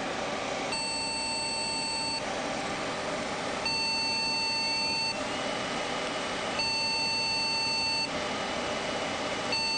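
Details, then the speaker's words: Computer at power-on with a loosened memory module, no video: long beeps about 1.5 seconds each, repeating every three seconds until turned off; memory error POST beep code, meaning depends on BIOS maker. "this one will continue to beep until we turn it off so a beep code doesn't necessarily tell you the answer to what the problem is until you go to the website of the manufacturer of the BIOS"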